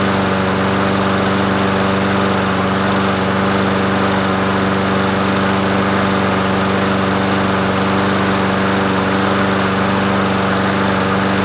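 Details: Murray 22" push mower 22526x92a, muffler cleaned, primed three times: steady, even single-cylinder buzz at constant speed, no misses or knocks; running smoothly.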